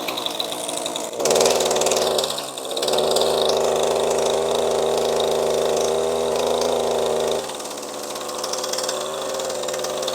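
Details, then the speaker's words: ECHO SRM-2620T two-stroke string trimmer, 2 years of daily use with no maintenance, 50:1 mix. Buzzy, uneven idle sags and bogs under any throttle, with weak exhaust flow from a clogged spark arrestor screen. "bit of exhaust coming out you hear it's like really bogged down sounding so as you heard there it's definitely struggling you can hear it completely bogging down when i give it any throttle"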